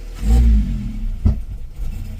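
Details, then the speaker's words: 2001 Toyota Corolla with a loss-of-power complaint, throttle pressed: a brief rev swells, then sags flat with some clatter as the engine bogs. "So I'm stepping on the X, and right now the vehicle is falling flat on its face, right?"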